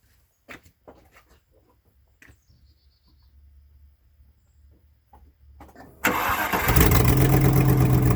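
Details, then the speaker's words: 1998 Land Rover Discovery 1 V8 idling, recorded at the leaking driver's-side (left) exhaust manifold gasket before replacement: loud idle with sharp, rapid puffing from the manifold. "The one that's leaking, as you can hear. So I think those are 13 or 14 millimeter bolts."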